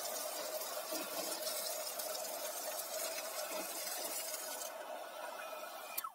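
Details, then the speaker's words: Garden water pump being primed after refilling with water following winter storage in a basement: steady motor hum under a hissing, sputtering rush of trapped air that settles as water takes over; air clearing during priming. "включая отыграется воздух-воздух набрался облаками все он стоит сейчас я открою кран"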